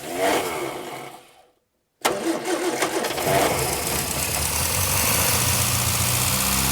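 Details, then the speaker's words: 1965 Morris Minor 1000 after 40+ years in a barn; cranks, pauses, catches and runs with uneven lumpy beat slowly settling; owner heard wrong firing order from swapped leads, suspects fuel starvation; rough running after start. "Right, so these are definitely in the wrong. I can hear it firing in the wrong order. So we are getting somewhere."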